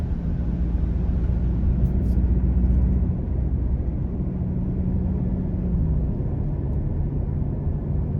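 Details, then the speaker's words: 2025 Toyota Tacoma with newly installed WeatherTech window deflectors, cabin at about 30 mph with air off: low even road rumble and soft wind hiss, no whistle or flutter from the visors. Normal cabin wind noise. "Sounds pretty quiet in here to me. I hear wind noise from the outside, of course, but that's really about it."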